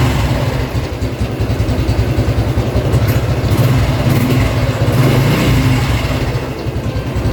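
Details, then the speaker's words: Honda Revo X 2017 FI with a stock engine: a smooth, even exhaust note that rises and falls cleanly with each throttle blip. Normal revving. "Suaranya tuh mirip apa ya? Mirip motor zaman sekarang lah, yang merdu gitu."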